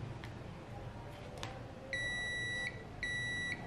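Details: Multimeter continuity check on the rewound coil points of a DC fan motor being converted to a low-rpm generator: two steady high-pitched beeps in a quiet room; all twelve points connected, so the windings are continuous.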